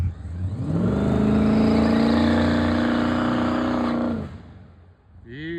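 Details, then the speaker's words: Drag Nova on a 4,400 rpm two-step: engine banging on the limiter with hard choppy pulse, then falls away, won't build revs, no power even at 4,000 rpm; breaking up, carburetor issue or out of fuel suspected. "Could be just that carburetor. It's not happy. Even then, still 4,000 and it wasn't making any like power at all."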